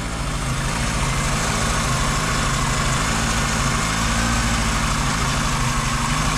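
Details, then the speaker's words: VW Golf 2 carburetted engine, cold morning start with the choke open; it usually ticks when cold, then stops once warm: a steady, even idle rumble with no ticking on top, running smoothly. "jeavais démarré ce matin et là il a pas l'air de claquer"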